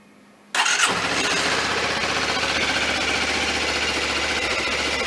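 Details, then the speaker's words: Suzuki V-Strom 250 started to warm the oil before an oil and filter change, a day after a valve adjustment: catches first try and settles into a smooth, even idle with no ticks or knocks. Normal idle. "I'll just run that for a minute or two just to get some movement on the oil, some warmth."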